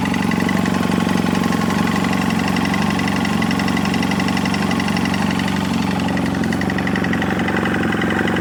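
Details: 2007 BMW F800S parallel twin idling cold: hollow even knocking about four per second under the exhaust note; cold-engine piston slap.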